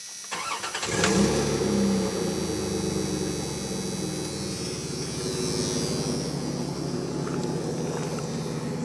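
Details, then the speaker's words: 1994 Dodge Dakota, warm engine, after replacing catalytic converter, new Flowmaster muffler and exhaust brackets: quick starter catch then smooth, quiet idle with soft low exhaust thump thump, earlier buzzing noise gone; normal start and idle. "It's got a little thump thump thump thump thump thump thump thump thump sound that I like. So this is how it sounds so far when it's idling. Sounds quiet there."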